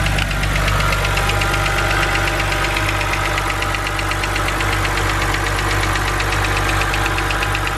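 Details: BMW 130i with N52 engine idling: fast light ticking about three per second over steady idle, the known N52 top-end tick, described as not harmful to the engine; engine ticking.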